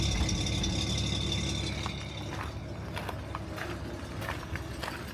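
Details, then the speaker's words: 1956 Bentley S1 Standard Steel Saloon, 70,000 original miles, just started, heard on a cheap camera mic with the bonnet shut: very faint, smooth low hum with hardly any ticking; quiet, healthy idle. "Now, being a microphone on a on a dodgy piece of Chinese camera, you'll hear every tick. And so, there ain't really any, is there? It is the weirdest mechanical machine ever. Just no noise."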